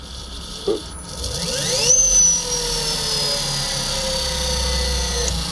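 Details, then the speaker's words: Lark Streamliner electric motorcycle on its first motor test after wiring-harness debugging (bad crimps): high voltage up after pre-charge, throttle potentiometer turned the tiniest bit; soft, smooth whine rising in pitch with no knocks or grinding, motor running healthy. "now that we got the bike on you can hear the motor humming when you take the potentiometer we're just gonna turn the tiniest bit"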